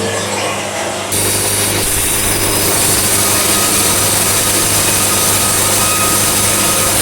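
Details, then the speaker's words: Bandsaw sawmill on narrow boards, governor released and feed speed raised several notches to pretty high: steady high saw hum with even cutting hiss, smooth under load; normal cutting tone, almost no sawdust, 5 1/4 inches per band revolution. "You can increase my speed another notch or three. Pretty high now. Now I'm starting to get my tone."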